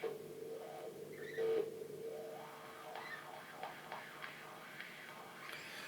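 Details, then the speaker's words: Wah pedal pot swept through an amp after contact-cleaner treatment: hiss, steady hum and a few faint crackles remain; the potentiometer is still a little scratchy but better. "it's still a little bit crunchy there but it's definitely better"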